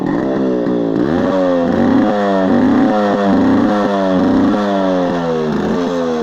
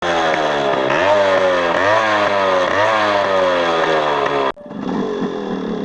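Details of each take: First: Yamaha RX135 two-stroke after exhaust leak repair with M-seal: revs rise and fall cleanly, crisp even exhaust crackle, no puffing or ticking; exhaust sealed, running healthy. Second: Yamaha RX135 two-stroke revving up and down: raspy, buzzy crackle over the exhaust note, consistent with an exhaust leak. Cause suspected, not confirmed.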